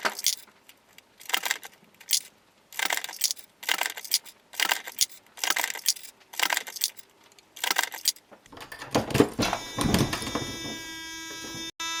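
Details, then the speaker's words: Reloading press loading 38 Super Comp ammunition: rhythmic press strokes about once a second, then steady electric buzz as the primer follower stick triggers the low-primer warning, about 3–4 primers left in the tube. "once you hear that sound, that means the primer tube is low on primers, and it's because this stick will follow the primers as it's coming down, and once it hits a low, it will just engage this beeper, a buzzer, and tell you that now it's, I think there are only like 3 or 4 primers left in the tube"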